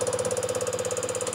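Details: Fuel injector on a test bench, opening around 100–110 bar, shown with crisp, evenly spaced ticking at about fourteen per second and a steady hiss between pulses; the injector opens and sprays normally.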